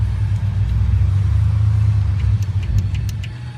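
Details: GM 6.0 V8 idling with a deep, lumpy, uneven stumble, a misfire with code P0300 caused by a stuck/collapsed hydraulic lifter.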